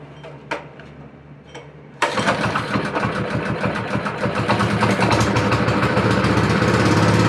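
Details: Honda plate tamper after oil change, new spark plug, OEM air filter and valve adjustment, started on choke: a couple of quiet pulls, catches at two seconds and settles into a steady, even chug that builds slightly. Normal start and run.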